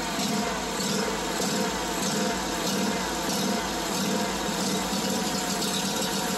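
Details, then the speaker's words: Lawn mower small engine surging at idle: idle hunts, rising and sagging in uneven waves; smooths when carb cleaner is sprayed around the gaskets or choke half on, traced to a missing carburetor welch plug causing an air leak. "this mower was in for it surging during idle so I'm going to Crank It Up and let you listen to how it runs"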